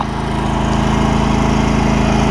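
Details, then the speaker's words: John Deere L120 lawn tractor, 51 hours, V-twin with some oil drips and leaks: even smooth drone with faint steady whine, no knocks or misses; engine running properly. "I'll show you that it runs. We've got 51 hours on it, so not too bad."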